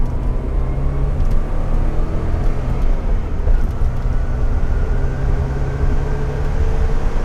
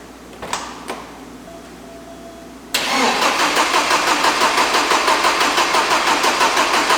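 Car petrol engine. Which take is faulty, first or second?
second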